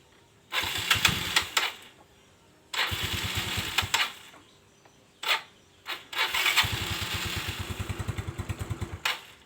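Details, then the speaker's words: Known-good battery from a carbureted Honda Beat (whose battery keeps draining, traced to a faulty regulator/rectifier) fitted to a Yamaha Mio Soul; brisk starter whirr catches quickly each time and settles into an even idle, showing the battery is normal. "oke ya teman-teman berarti aki ini normal-normal saja tidak ada masalah karena saya ganti saya masukkan ke sepeda motor Mio Soul ini akinya normal"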